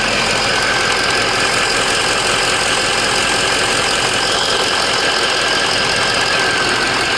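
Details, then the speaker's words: 2004 Ford F350 6.0 Power Stroke diesel after Sinister Diesel adjustable fuel block / blue spring upgrade: steady even idle clatter with faint turbo whistle, no misses; running healthy. "Definitely started it back up just to record that noise. Ain't nothing like a turbo. They sound amazing."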